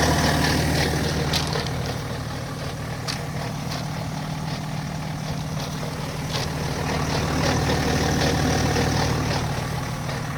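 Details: BMW GT 530d with N57 diesel idling: fast, fairly regular light rattle about three per second over the low rumble; owner suspects a loose timing chain, not confirmed.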